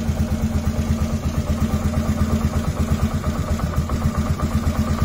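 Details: 2007 Polaris Sportsman 450 single after fuel pump replacement, tank low: thump settles into an even idle, steady beat, no misses or stumbles; fuel flowing; normal idle.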